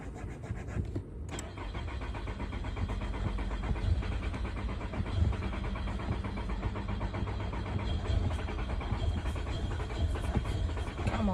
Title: Going out hard start